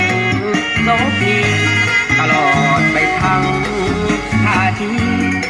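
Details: Bluetooth speaker after repair of constant crackling noise caused by the faulty amplifier IC: country-style music with guitar and vocals plays cleanly, with no crackle or hiss.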